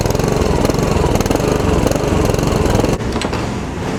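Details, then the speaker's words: Honda lawn mower after new carburetor install, being run in: small single cylinder popping at a fast, even beat with no surging or hunting; runs steady and sound. "There she runs. I'm going to run her a little bit here just to kind of get it worked in a little bit."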